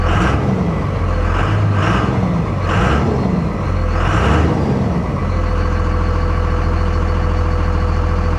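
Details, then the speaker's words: 57,000-mile Dodge Ram 3500 diesel pickup at a salvage yard: four quick throttle blips rise and fall cleanly, then settle into a steady, deep, even idle; normal diesel rev. "Let's give it a little rev."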